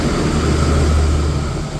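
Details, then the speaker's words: Clean Burn waste oil furnace after cleaning, with the tank, pump and canister filters washed: a low steady burner roar with even fan hum and no sputter or pulsing; it runs well. "But this thing runs pretty good."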